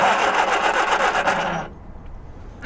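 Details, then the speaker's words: Abandoned 1978 Triumph Spitfire 1500, unused for years, cranking after fitting a new pump: the starter spins the engine briskly and evenly for about a second and a half with no labouring or drag, turning over much more easily than before. "I imagine actually did you hear how much easier that engine um turned over then with that new pump"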